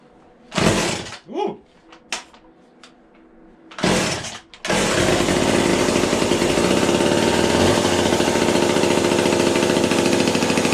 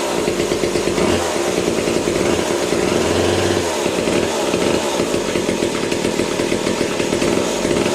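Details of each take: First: Vintage McCulloch chainsaw with a new bar and chain, started although both the manual and automatic oilers are not working: a few pulls and sputters, then it catches and holds a steady, even buzzing run with no misses; the engine runs fine. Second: Vintage McCulloch top-handle two-stroke chainsaw (about 37 cc), new old-stock bar and chain, idle turned way down: buzzy drone with constant rasp as chain keeps spinning; owner suspects worn clutch springs.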